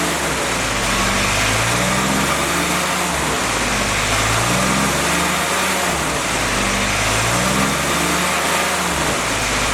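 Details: Freshly rebuilt CJ5 snowblower Jeep F-head four-cylinder during break-in, original cam: running fast and even, revs rising and falling steadily, no knocks or misses; normal running.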